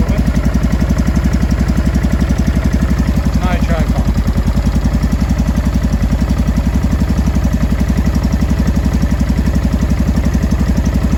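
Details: 2005 Honda Deauville NT650V twin after carburettor refit (vacuum pistons repositioned), warmed about three minutes, choke off, idle set low: a steady, even low thump with no popping or banging. Normal warm idle.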